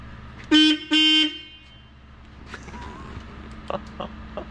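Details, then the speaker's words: Plymouth Superbird horn powered directly, not working from the car's own circuit, possibly a blown fuse: two short, clear beeps with a steady tone, a healthy meep-meep; horn itself works normally. "There it is. There it is. Meep meep."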